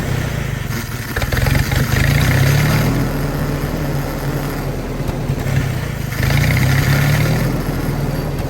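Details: Willys-powered 120/240V 52 A Army skid generator, electric fuel pump, fresh fuel: catches and runs but swells and sags every few seconds after hard starting; runs only with choke held on, owner plans carburetor kit rebuild.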